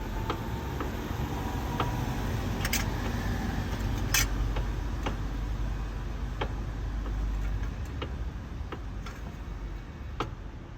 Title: E92 M3 clunking sound when turning wheel